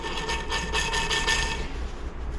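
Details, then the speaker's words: Honda CR125 engine bearing spun by hand during teardown: gritty, rasping whir pulsing as it spins down, rough ball bearing that feels full of dirt. "so yeah hopefully you can hear this sound this bearing feels horrible feels like it's full of dirt"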